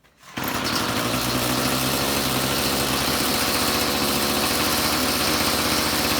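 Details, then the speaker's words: String trimmer two-stroke idling after idle mixture screw, suspected too rich, was turned in 1/8–1/4 turn; carburetor has no high-speed adjustment; spark plug still needs replacing. Crisp, steady buzzing idle that settles quickly without hunting. Normal idle. "All right. I'll say that's dialed in. That's the idle side that we were adjusting, and there's no high side."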